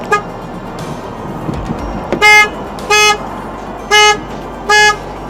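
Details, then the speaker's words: 2003 Saturn Vue 2.2 with codes P1599 and U2107, security light flashing, sometimes won't start: horn blasts in a steady pulse about once a second as the alarm activates by itself. "i have this saturn and it's got the security light flashing and sometimes the alarm the alarm starts and activates by itself huh"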